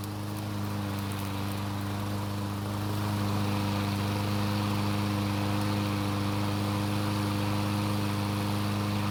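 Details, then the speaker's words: Six-year-old Troy-Bilt mower that wouldn't start, after draining water from the gasoline and flipping the blade: starts and runs with an even, steady drone, no misses, surging or knocking; runs smoothly and healthy. "Luckily, it started and ran just fine, and it sounds really good for a 6-year-old lawnmower."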